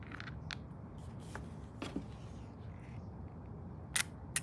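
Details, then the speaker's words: 1967 VW Type 3 Squareback carburetor solenoid cutoff valve bench-tested: two sharp clicks as power is applied and released, valve opening and closing; normal solenoid operation. "you hear that once you put power through it it will open this valve and then when you release the power it will close the valve so that's working"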